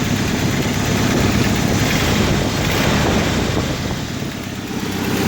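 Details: 1995 Jeep Wrangler YJ 2.5L four-cylinder, 5-speed: even, steady idle with faint tick from the top end; owner says a manifold leak, typical for these Jeeps; belt squeals at startup; otherwise healthy.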